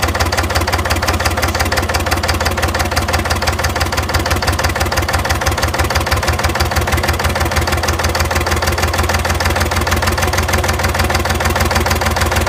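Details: Engine with hard starting and white smoke; steady idle with a rapid, hard tapping knock over every beat, from inside the block; engine knocking at idle, cause not pinned down.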